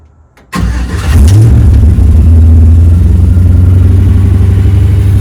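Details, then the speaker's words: Truck with a fly-by-wire pedal, after fixing a wrongly connected wire and replacing the fuel pump and fuel filter. The starter catches quickly, then it settles into a steady, smooth, quiet low idle with no misses or knocks. "So it sounds really good. It's really smooth and quiet."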